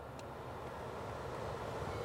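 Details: Ford Fusion after its AC wiring connector was repaired, engine running with AC and blower on: a steady, even rush of air from the vent with no squeal or ticking. The blower works normally.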